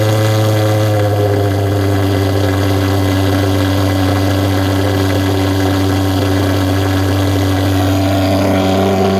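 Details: Vectorfog H100SF gasoline pulse jet thermal fogger on VP Racing canned fuel, started by holding the start button 8–10 seconds, solution tank shut: loud, steady low buzzing drone holding one pitch, no sputtering or popping; normal running.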